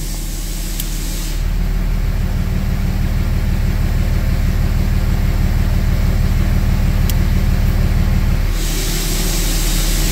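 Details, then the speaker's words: 2004.5 Ram 3500 diesel idling after heating cycle, previously rough idle and slow start; deep, steady clatter about three beats a second, even and unbroken, not idling like before; normal idle. "Not idling like it was, so that's a plus. Idle smoothed out."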